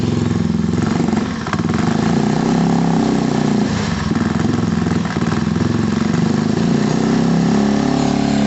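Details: Gilera scooter after a fuel problem fix, rear wheel spinning and automatic choke possibly still on while warming up; some rattles from loose parts. Small single buzzes evenly at idle with brief throttle blips, smooth and steady; normal idle.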